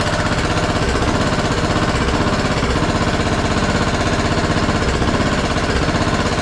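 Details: Craftsman T1200 riding mower, single-cylinder engine first run on old gas after new plug: loud choppy uneven gurgly running about four pulses a second; compression seems very high, owner suspects tight valves causing rough running.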